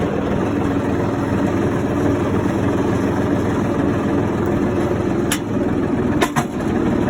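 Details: John Deere 4300 backhoe after freeing its seized parking brake with a new spring: an even, steady diesel chug with no misses or knocks, idling smoothly and healthy.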